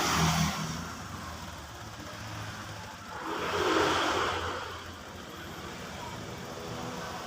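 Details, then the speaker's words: Honda Vario 125 FI scooter after piston and connecting rod replacement (piston was knocking) and oil pump check; idles evenly, revs cleanly and settles back, smooth, no smoke, no knocks or misses; normal running. "untuk kondisi suara sudah halus ya karena ini Krisna sudah baru sama kampret sudah baru dan juga sudah tidak berasap"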